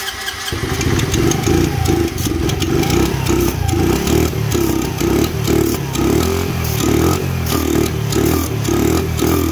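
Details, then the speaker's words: Dirt bike/moped, just after valve adjustment, running only on starting fluid: small rough, uneven revs with sagging pulses; not getting fuel, owner suspects a clogged carburetor jet and plans to tear into the carb. "Not getting fuel. So we need to tear into the carburetor. It's probably got a clogged jet. It doesn't sound bad."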